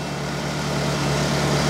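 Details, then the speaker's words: Ferrari engine in an Alfa Romeo 105 after reinstallation, warming up with idle dropping, good oil pressure, alternator charging 14.1 V: smooth even idle, steady low hum, no knocks or misses; possible exhaust leak heard elsewhere; normal warm-up idle. "so um currently that's sounding so much nicer we've got plenty of oil pressure"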